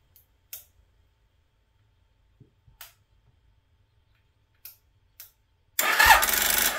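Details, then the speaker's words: 1995 Suzuki Intruder 800 revived after 13 years of storage, with an electric fuel pump; quiet clicks, then one short sluggish crank burst that never catches because the battery lacks enough charge; slow cranking from a weak battery. "No, not enough battery, not enough juice."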